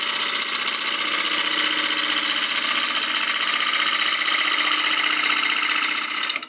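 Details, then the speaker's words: Intermittent tool contact while roughing a succulent planter blank to round on a lathe, below 1000 RPM: a rapid chatter of about four taps a second under the hissing cut as the gouge skips over one or two remaining flat spots. "you can hear the sound it's making we're getting closer to round if I put the tool on the top it's skipping just a little bit so there's just one or two flat spots left"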